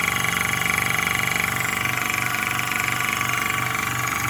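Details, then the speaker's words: Hill EC-3000 EVO high-pressure compressor, first run, set to 300 bar, filling a 1-litre bottle from 180 bar with fan running: even pumping beat about three strokes a second over steady airy hiss; running normally. "Là, je sais pas si vous l'entendez, mais le ventilateur est en route. Il est en train de tourner. On l'entend, mais alors pas du tout."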